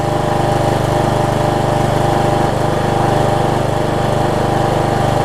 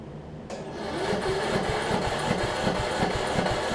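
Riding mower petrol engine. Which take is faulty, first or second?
second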